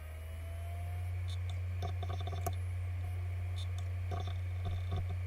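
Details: Failed Western Digital Green 1TB WD10EADS hard drive from a My Book USB enclosure, with seven-plus years of power-on time: a steady spinning hum with scattered faint uneven clicks; the drive spins but is not detected by the computer.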